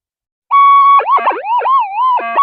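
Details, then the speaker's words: Monster 175-inch metal detector coil with loops crossed over experimentally, during electrical storms: warbling tone swoops and chatters instead of holding steady, coil cancellation lost and noise immunity gone. "but as you see we've lost our noise immunity it's all gone back to um noise now"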